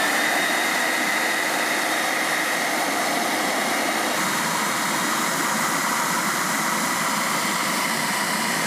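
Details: Hoover Steam Vac Deluxe pump motor after oiling its dry rear bushing, so it spins freely: steady high-pitched whine with an even airy rush, no knocks or scraping; running smoothly and healthy.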